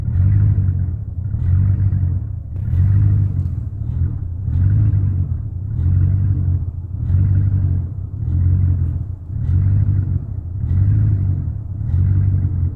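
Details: 1999 Chevrolet Silverado 1500 idle that swells and sags about every 1.5 seconds, uneven and hunting; rough idle persists after replacing intake manifold gaskets, plugs, wires and fuel pump, cause unknown.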